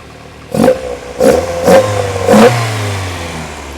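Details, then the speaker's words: Unrestored original Lotus Elite after new spark plugs and carb tuning, 4.5 on all 4 cylinders: four crisp throttle blips, each dropping back to an even 1100 rpm idle with no spitting or stumble; normal running. "So basically I've got a reading now on this of 4.5 on all 4 cylinders, and that sounds nice and sweet."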